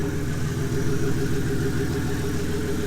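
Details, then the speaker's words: Ford Falcon AU turbo build, cold start with a 3-inch muffler venting straight out: a smooth, low, steady exhaust beat at idle with no puffs or leak hiss, no leaks. Normal cold-start idle. "all right now this is the muffler i've got it's a nice little three inch muffler [Music] as you can hear it's just coming straight at the exhaust"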